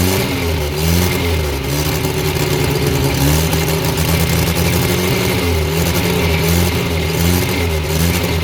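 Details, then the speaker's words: Abandoned blue Morris Minor, after fixing a fuel leak, wire throttle pull and jump leads: engine fires steadily and picks up cleanly on repeated throttle blips with no misses or knocks; got it going, runs well. "Right. Got it going. Runs well. Uh, needs a few bits now."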